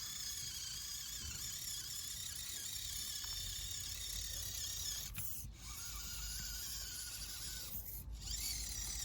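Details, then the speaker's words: Lunar Rover RC crawler on SCX24 tracks, crawling over rocks outdoors after fitting a new transmission: light, steady high-pitched gear whir with no clicking or grinding; sounds much healthier, drivetrain smooth. "And it just sounds so much healthier with this new transmission."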